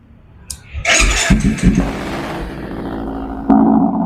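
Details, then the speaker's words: Used motorcycle for sale with a racing exhaust and no crash damage: starter whirr, then the twin catches and settles into a steady, even, smooth idle with a light blip near the end; a normal, healthy start. "kita dengarin suara langsung, Bosku. Masih halus ya."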